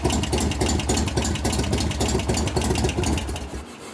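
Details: 1988 Harley-Davidson FXR V-twin at idle during a lifter-noise and pushrod-adjustment repair, started with one valve held about half off its seat; loose uneven idle with a sharp tick three or four times a second, suspected noisy lifter, not yet identified.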